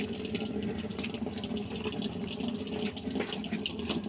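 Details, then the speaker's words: Toshiba top-load washing machine after repair of E2/E3 errors, powered on with the lid closed: a steady, even rush of water filling the tub automatically, with no pump strain or knocking. Normal water fill. "เปิดน้ำเลยนะครับเรื่องร้องเอาน้ำแล้วผมดูน้ำเข้านี้น้ำได้แล้วนะครับอัตโนมัติ"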